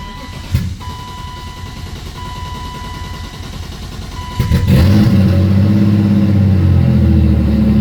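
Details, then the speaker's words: BMW E36 with CX Racing turbo, manifold and blow-off valve, Miller Performance tune, MLS head gasket: long steady cranking with a warning chime, takes a couple attempts before catching into a rough idle; owner suspects the tune isn't fully dialed in yet. "it does take a couple attempts to start up and I think it's because because the tune is not dialed in completely yet"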